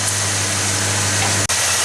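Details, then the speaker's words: V8 truck idling smoothly with no miss under hiss of water sprayed on each exhaust tube; every tube steams, so all cylinders are firing correctly: normal idle. "So each one of those are steaming. They're all firing correctly."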